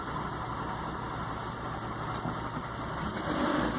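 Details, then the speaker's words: Nissan 240SX with shaky idle and low power, after reinstalling fuel injectors with no leaks: steady idle with an uneven low thrum that wavers and stumbles; still idling rough after the injector work. "Uh-oh. Still idling a little funny. It might take it a second to find its way."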